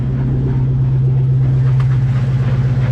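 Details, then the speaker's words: Ford Mustang on a lift, rear wheels spinning in gear: a steady low drone pulsing about 160 times a minute from the rear differential. Something inside the diff moves in and out; owner suspects a loose pinion and tightened it. "but we need to have a look at this noise in the back end"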